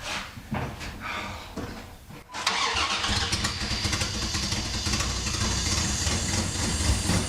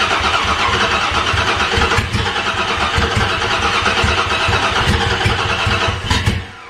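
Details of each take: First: Dodge Dakota after new spark plugs, plug wires, distributor cap and rotor: cranks about two seconds, catches cleanly and settles into a steady even idle with no stumble or misfire; normal start and idle. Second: Dodge Dakota after tune-up with new plugs, plug wires, distributor cap and rotor: cranks with rough, uneven pops that never catch; plug wires installed in wrong firing order.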